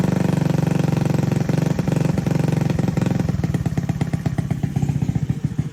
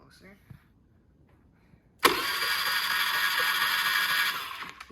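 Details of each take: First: Honda Navi scooter that cranked but never fired (old carb clogged with dirt after water/off-road use), now firing on a new 19mm Nibbi carb with idle and main jet untuned; steady putter that sags and recovers slightly, running normally. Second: Honda Navi scooter, abused and allegedly run through water, that cranks but never fires: a couple of seconds of starter whirring with no firing; spark present, dirty carburettor suspected; fixed by replacing it with a 19mm Nibbi carb.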